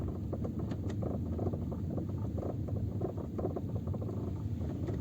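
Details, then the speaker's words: Peugeot 407 with the phone on the rear parcel shelf, crawling in first gear before the fix: irregular light clicks and rattles over low road rumble. The loose latch tongue on the rear seat backrests moves up and down on its loop. "так положил телефон назад чтобы Вы могли послушать звук который исходит от спинок задних сидений просто качусь на первой передаче"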